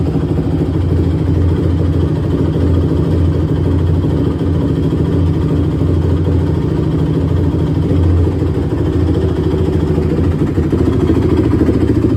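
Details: 2006 Honda TRX450R, stock exhaust, running after valve adjustment, carb clean and tune-up; owner reports bogging and dying when hot. Single-cylinder four-stroke runs steady with even firing, no knocks or rattles; normal running.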